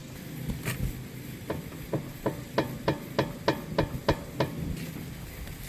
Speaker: And as you can hear there, we have a pretty audible clunking sound, and that is the bad ball joint, which I'll show you in just a second.